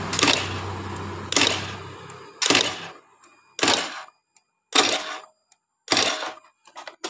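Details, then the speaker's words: 2013 Honda Beat FI scooter, battery at 12.59 V, new starter relay, starter motor normal; single sharp click about every second on each press with no cranking; starter not engaging, attributed to weak ECU starter output. "sedangkan di bagian akinya tegangan normal 1259 dan di bagian dari Col starternya juga sudah kita ganti dengan yang baru tapi electric starter hanya bunyi seperti itu"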